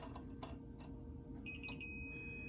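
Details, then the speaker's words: SlantFin gas-fired single-zone boiler, no-heat call: wires removed and multimeter continuity test on the flame rollout switch gives a clean steady high beep about a second long; rollout switch good. "We're going to put it on that little thing right there, and it gives an audible signal like that if it's good."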